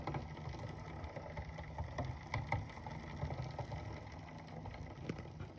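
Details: Bicycle on Elite Suito trainer, cassette changed from 11-speed to 10-speed: low steady trainer hum with scattered sharp clicks and knocks from crank/cassette while pedalling; no noise when bike is ridden normally.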